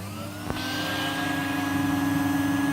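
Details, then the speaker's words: Salvaged vacuum cleaner, used without a bag, smells damp, running on low setting with no bag fitted: click then steady even motor whine with clean airflow rush; works normally, suction reduced on low. "it works - sounds alright Paul suction a because it's on low and because there's no bug in"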